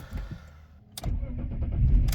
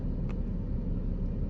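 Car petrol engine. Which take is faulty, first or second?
first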